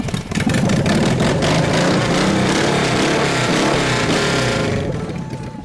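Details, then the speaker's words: Honda Serial One, the first Honda car imported to the US, after full restoration, started cold on choke: a small twin settles into a steady, even putter at fast idle with no knocks or misses. It runs like new. "looks like new and it sounds like new that's what we're shooting for here for the very first one lives again"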